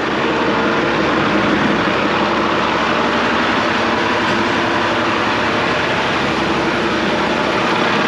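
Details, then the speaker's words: 1986 International dump truck, L10 Cummins diesel: steady, even idle continues after key off because fuel shutoff solenoid thumb-screw override is screwed in; won't shut off until unscrewed; solenoid possibly lacking 12 V or needing replacement. "this is what i mean by it won't shut off so you get up in here you see the keys like it goes off on off that's because that fuel shut off solenoid the thumb screws it's uh overridden"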